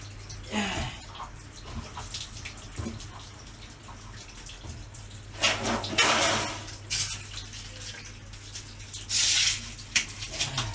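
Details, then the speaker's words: Washing machine after panel board replacement, first test fill: water gushes and splashes in uneven bursts over a faint low hum, with no grinding or odd mechanical noise while checking for leaks; clean normal fill. "Masukkan air. Okay, since masukkan air, check ada tak kebocoran dekat mana-mana."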